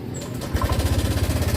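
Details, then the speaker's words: Honda Vario 125 scooter at idle, rough noise began suddenly two days ago; fast, rough rattling tick about thirteen beats a second: cam chain rattle, from slack chain or chain adjustment, found as a broken tensioner spring. "nah kasus ini sebenarnya sudah cukup sering ya biasanya terjadi pada setelan rantai keteng yang di dalam sana atau memang rantai ketengnya sudah gedor"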